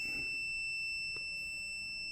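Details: 2015 Nissan Juke in limp mode with the warning cluster lit up: a loud, steady high electronic beeping starts once the scan tool is plugged in, over a quiet cabin; cause not yet diagnosed.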